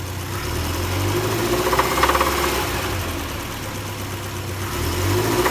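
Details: 1975 Triumph Spitfire petrol engine near idle with a dull knock, about three a second, sharper on small revs. Cause suspected, not confirmed.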